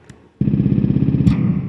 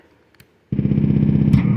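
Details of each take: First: DIY synthesizer based on a simple oscillator circuit: buzzy tone starts cleanly, then a sharp pop as the mute button is released; switching transient, not yet fixed. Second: DIY synthesizer drum circuit built on an LMNC super simple oscillator, after a button-wiring fix: buzzy low tone bursts start cleanly with no pop on button press, though a pop remains on release.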